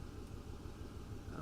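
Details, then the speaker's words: 2008 Ford F-150 5.4L 3-valve V8 with rough idle after VCT solenoids, spark plugs and coils were replaced: low idle with an uneven, stumbling beat; scan data shows a number four misfire, the last cylinder on bank one, with O2 sensors staying rich. "misfires in that Bank we have a number four misfire which is the last cylinder on bank one"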